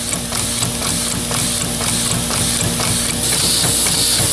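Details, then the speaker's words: Homemade push-pull pneumatic air ram engine built from flat stock steel, running on compressed air: even, evenly spaced puffing strokes about two per second over a steady air hiss; timing steady and regular. "you hear how nice and steady the timing is this an even stroke every time"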